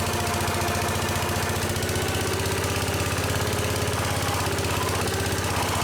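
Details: Case 222 lawn and garden tractor, sitting for years, revived with starting fluid: steady, even single-cylinder chug with no knocks or misses; idling smoothly again.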